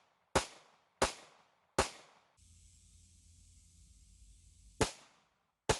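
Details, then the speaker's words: Worn Taurus PT111 Millennium G2 after cleaning and Galloway Precision trigger and 18 lb recoil spring upgrade, range test: five sharp clean shots about 0.75 s apart, slide cycles every time; functions properly. "suffice it to say the important thing is that the pistol functions properly now"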